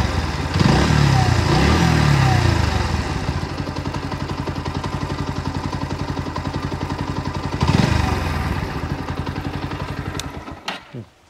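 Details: New Bajaj Pulsar NS125, 125cc, about 15 days old: the single-cylinder idles with a fast, fairly even ticking clatter over the exhaust beat. Abnormal extra engine noise; the source is unclear.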